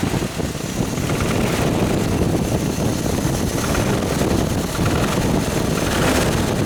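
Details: Toyota 22RE engine in a motorhome: low rough running with a loose metallic rattle that swells slightly when revved, from the front of the engine; source not pinned down. Engine rattle.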